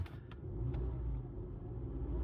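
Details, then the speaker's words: 2009 VW Rabbit 2.5 five-cylinder (07K), manual, after tightening a leaking vacuum pump and topping up oil that had been pouring out: first test idle, low smooth even rumble, no knocks or ticking. Normal idle. "I tightened up the vacuum pump, put some more oil in it, and this was my first test, and it is purring like a kitten."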